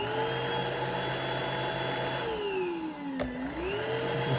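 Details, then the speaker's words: iwoly C150 motorized vacuum floor brush after repair: steady motor whine with smooth brush whirr, pitch sagging briefly under load then recovering; roller spins freely and fast after removing the ball of hair that had jammed it. "And we've got it nice and cleaned out. Again, it was this ball of hair that was causing it to be jammed. And this will apply to most any vacuum. It doesn't have to be this iwoly. You can see how nice and fast it spins right now."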